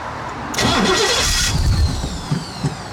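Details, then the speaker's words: Cobra broken down on the road: about a second of steady cranking that never catches; no fuel is reaching the engine because the fuel pump isn't running, and no leaks were found. "it's like it's not getting any fuel at all now you can know I've checked for leaks as well"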